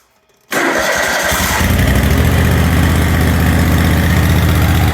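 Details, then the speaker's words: John Deere QuikTrak 652R EFI mower after replacing ECU and rectifier/voltage regulator, spark plug boot reconnected after running on one cylinder: catches at once, even steady low idle, no misses or hunting; idles good. "That's running pretty good. Load it up and take it to the dealer. It idles good."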